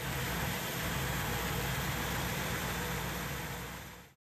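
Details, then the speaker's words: 1963 Impala SS V8, sounds like a 327, after Blaster II 12 volt coil and a different electric fuel pump fitted, run on remote starter: deep, even idle rumble, steady beat, no misses, then clean shutoff. "and I've rigged a little switch here for it and I've got my remote starter and it sounds like a 327"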